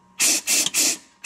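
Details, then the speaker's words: Ford Explorer / Mercury Mountaineer 5R55S/5R55W transmission case, air applied to a case passage: four sharp quarter-second hissing bursts of escaping air; known common case leak, case must be replaced or repaired. "I'm gonna put some down in the hole where you can see it blow out you can hear the noise you should be able to see this see all that oil came out that is what's happening"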